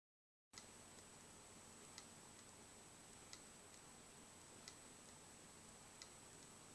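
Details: Western Digital WD3200BEVT-75ZCT2, a 320GB 2.5-inch hard drive, is dead: sharp single clicks about every 1.3 seconds over a quiet hiss.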